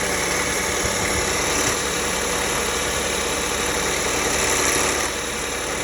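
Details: 2009 Lexus ES350 at idle: engine running under a loud hiss with a faint, uneven wobbling noise from the front, which the owner suspects is a bad water pump (unconfirmed).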